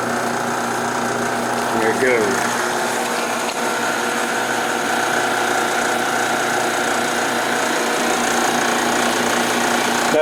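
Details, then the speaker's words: 1976 Westinghouse electric dryer, empty: steady motor hum with irregular light rattle and rub; belt riding against tension idler because worn bronze motor bushing tilts pulley, also causing hard start. "You can hear that little bit of rub. Part of the noise on here is because of the rattle because the belt is riding against the idler, the tension idler."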